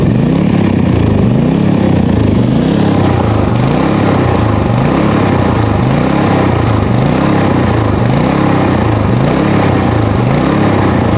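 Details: PowerSmart MB5040B 4400 W generator, cold start at 25°F with full choke, eco mode off, no load: steady even engine drone; normal smooth running.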